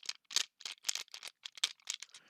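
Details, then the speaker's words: Traxxas T-Maxx RC truck transmission turned over by hand: dry, crunchy clicks in short bursts, pointing to broken gear teeth inside the transmission. "so we're gonna be doing little Diagnostics final wise little crunchy I don't know if you guys can hear that"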